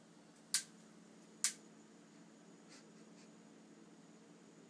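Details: Stove in a quiet room: sharp isolated ticks roughly a second apart with fainter ones between; intermittent clicking, owner suspects the electronic ignition misbehaving, unconfirmed.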